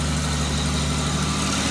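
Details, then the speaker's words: 2005 Ford Mustang 4.0 V6, just after gutting the catalytic converters and refitting O2 sensors, rear clamps not yet tightened: steady idle with faint breathy puffing; small exhaust leak at loose clamps. "okay I still need to tighten those times because I can hear a little bit of a exhaust"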